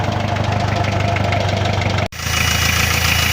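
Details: Hyundai 2.5 TDI diesel idling with steady, fairly quick knock about three per second; no knock cold, light valve-like knock appears when warm; oil pan removal found spun connecting rod bearings on cylinder 3 after turbo failure.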